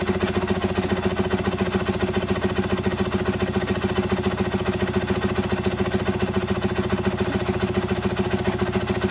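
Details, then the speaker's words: Single-cylinder showman's traction engine near full working pressure of 110 psi: fast, even popping over a steady low hum as the safety valve starts blowing off excess pressure, which is normal. "this is the engine at almost full working pressure which is 110 pounds per square inch the popping that you can hear is made by the safety valve as it starts to blow off the excess pressure"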